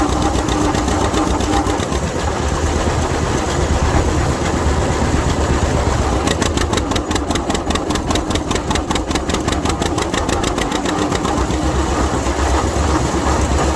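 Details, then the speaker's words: 1952 John Deere AH Hi Crop tractor, after a roughly 50-degree cold start, pulling a hill: steady, even chuffing beat under load, no misses, knocks or clutch slip; healthy engine under load. "girl pulled the hill that time. Clutch didn't slip at all. Tell you something else too. I love to hear these things run, especially under a load. Man, they sound good."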